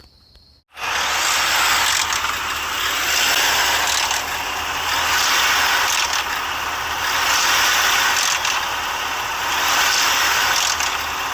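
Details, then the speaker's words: 3.5L EcoBoost revving: dense ratcheting chatter, loudest on passenger side, suspected failing VCT solenoid, with a faint diesel-like knock behind it suspected from failing cam phasers; not confirmed. "so the the diesel type sound in the back is the phasers failing and then the more prominent chattery sound is actually the vct solenoid failing so there's two different sounds going on in this video"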